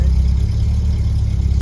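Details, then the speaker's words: VW Mk2 Golf GTI, long off the road, idling right after starting: smooth, even low rumble with a steady beat, no knocks or ticks; healthy idle. "Obviously it's had flat batteries, but it's never not started for any other reason than a flat battery. Doesn't it sound good?"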